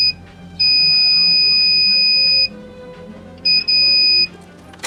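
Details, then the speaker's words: Aiwa CSD-SR545 compo from the 2000s, deck 2 playback/record mode switch tested with a meter: continuity beep cuts in and out from dirty, poorly connecting contacts; clean with contact cleaner. "Ya, kondisi koneksi saklar sebagian tidak sempurna. Coba bersihkan saklar dengan menggunakan contact cleaner."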